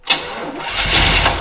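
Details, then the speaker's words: 400 engine in a donor truck, reportedly with a rod knock, fired up: catches and settles into a steady, even run with a little valve train noise and no knocking; normal running, not a rod knock. "you don't sound like a rod knock sorry george i got a good deal and you didn't i found out the rod knock and it's not the motor we got a good 400"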